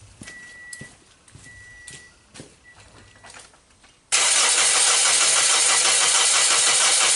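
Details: 2010–2011 Toyota Corolla with the 1NZ engine, which won't start after an engine-bay wash at a car wash, cranking during a compression test. A few beeps, then a loud, hissy starter churn about three beats per second; no fire, and one cylinder reads low compression.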